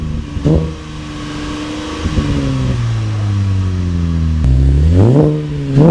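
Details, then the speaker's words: 2013 Camaro LT with LFX V6 after installing Solo Performance high flow cats (resonators retained): smooth idle with quick, clean throttle blips rising and falling evenly, no knocks or rattles; normal exhaust note, sound barely changed. "It didn't really change the sound all that much. I guess with those resonators, it doesn't really change the sound."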